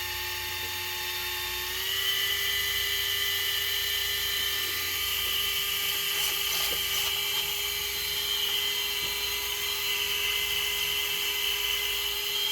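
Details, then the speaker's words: New Surpass Hobby ESC cooling fan just installed in an Arrma Senton 4x4 RC truck, replacing a broken one; a high, clean whine steps up in pitch after a couple of seconds, then holds steady with no rattle, good airflow: normal cooling fan running. "got some nice blow through there perect then I"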